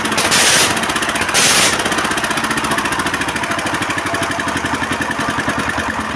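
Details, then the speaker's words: S1100 16 HP single-cylinder diesel that had no power and blew oil from the breather. After the cover was replaced, a short start-up burst settles into an even, steady thump with no knocking, and oil pressure is back to normal. "setelah kita ganti ternyata tekanan olinya sudah mulai normal lagi ya sobat diesel"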